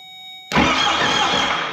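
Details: 4BT Cummins diesel in a Ford Bronco, first start attempt: the starter churns with a rough, hissy spin but the engine never runs. Injector lines at the pump are loose and leaking fuel while air is bled from the fuel system.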